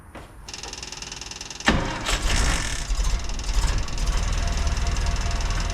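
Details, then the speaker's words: 1956 Land Rover Series 1 109 after sealing the exhaust flange with muffler cement because a lip stopped the gasket sealing: starts and settles into a steady, deep, much quieter idle with no hissing exhaust leak. "So immediately I can hear that it's a lot quieter. I can't feel anything. So we can't hear that hissing."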